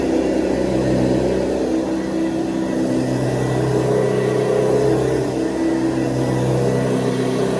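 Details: 1970s Hoover Convertible upright vacuum (the last model shown), plugged in and running: a steady, fairly high-pitched motor hum, higher than the low hum of the earlier model, even pitch with no rattles or surging; normal, healthy motor.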